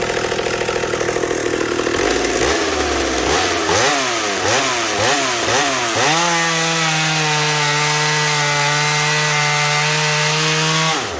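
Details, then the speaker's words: Racing chainsaw built from a McCulloch 790 frame with an MC101 kart engine, new header and pipe, 3D-printed intake gasket and carb adaptor, 7-pin semi-chisel chain, cutting oak: revs in blips, then a steady, high scream without bogging. Healthy under load. "was that not amazing that saw this only has a seven pin on it mind you i could put eight because i left enough slack on the chain"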